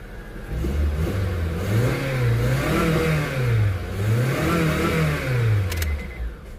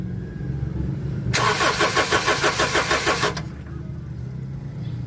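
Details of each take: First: Honda CR-V with hard starting and stalling, after temporary glued fix: engine picks up cleanly and settles back over several smooth rev cycles, pitch rising and falling evenly; healthy and responsive. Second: Honda CR-V: starter cranks steadily about two seconds with no catch, then quits; hard start and stalling traced to a cracked rubber fuel line at the fuel pump starving fuel.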